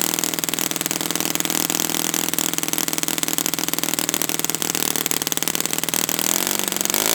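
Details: Brand-new Saito FA-100T twin on a test stand, later break-in run after choking: high, buzzy, even exhaust note at steady speed with no misses or sag; running perfectly, clean.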